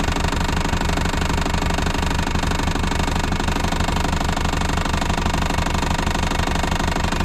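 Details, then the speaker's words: Abandoned 1980s VW Rabbit pickup diesel, put in gear on four flat tyres, clutch possibly burnt: heavy diesel clatter under load with a loose exhaust rattling about 1.5 times per second; the engine runs but is not very healthy. "this is so gross well when that exhaust quits rattling it doesn't sound so bad that's good he wants to go"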